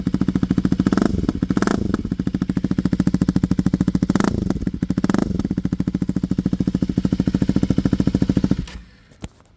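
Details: 2024 Husqvarna Svartpilen 401 with Arrow Pro Race exhaust for the Duke 125, rear cat and dB killer removed: deep even single-cylinder idle thump with a couple of throttle blips before shutdown; normal, healthy, louder exhaust.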